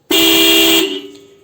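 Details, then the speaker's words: Car horn triggered directly with a power-probe circuit tester during electrical checks of the fuse/relay box and air-conditioning circuits: one clean, steady honk under a second, full tone to cutoff; horn and circuit working. "estoy entonces activando por medio del power por lo que sería entonces quien el claxon ya no necesite yo poner ninguna herramienta sino que es a través del probador de corriente que yo lo estoy haciendo"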